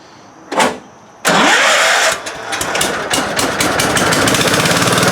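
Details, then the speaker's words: 1971 John Deere 140H3 garden tractor, Kohler K321 single-cylinder, after carburetor rebuild and new float (fuel had been pouring from carb): brief crank, fires straight away with little or no choke and settles into a steady, even putter; normal startup. "Checking out Anthony's 1971 John Deere 140. Rebuilding the carburetor, installing a new float, and it fired right up."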